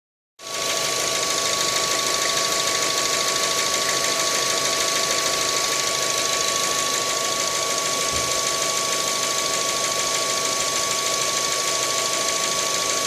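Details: 2012 Mazda 3 1.6 engine with 107,000 km: steady run with fast, fairly regular tapping about three per second over a loud hiss; knocking from inside the engine.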